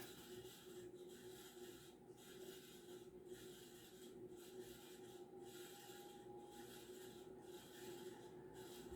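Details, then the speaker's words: 52-inch Banvil Emperor ceiling fan on variable speed knob, running only in reverse, with slight wobble and crooked housing: soft dry rasp rising and falling about once a second under low motor hum at slow speed; bad, scratchy bearings. "yeah so it does have bad bearings uh you can hear the bearing noise"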